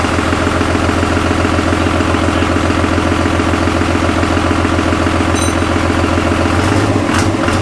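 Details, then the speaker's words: Cummins-swapped Jeep YJ, first start-up: even, steady diesel clatter at idle with regular firing beat, no misses or knocks; normal diesel idle. "Nice. That is. Sounds good. Had me a little concerned at first. It was a little choppy sounding, but they sound so funky pulling intake air too."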